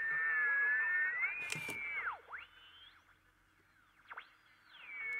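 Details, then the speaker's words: Reference transistor radio tuned near 1050 kHz beside a faulty radio: clear high whistle near 2 kHz bending as the dial moves, the reference radio's local oscillator heterodyne; the faulty radio produces none, so its oscillator is dead. "we use this radio and tune it to around 1050 we hear the telltale heterodyne whistle"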